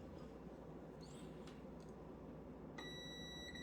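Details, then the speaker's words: Brand-new air conditioner contactor on a multimeter continuity test: a thin steady tone switches on only when the contactor button is pushed, over quiet room hiss; contacts close properly, contactor good (coil later reads 17.2 ohms). "See, good. Now this one, not supposed to hear it until I push that button. That's good."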